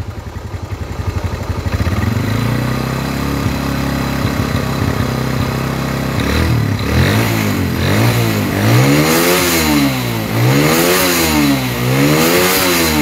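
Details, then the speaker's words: Motorcycle engine after repair of a rough top-end noise, oil now reaching the head; starts, settles into even idle, then slow throttle blips rise and fall smoothly, the rough noise gone. "ini bisa dinyatakan suara kasar tersebut hilang"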